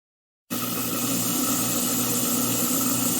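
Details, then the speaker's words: Garbage disposer (food disposer, Badger/InSinkErator type) after freeing a lodged beef rib bone and pressing the reset button: steady smooth whir with water gurgling through, no hum or rattle; running normally again. "yes the moment of truth you don't hear any humming you don't hear any rattling all you hear is pretty much water gurgling and going down the motor"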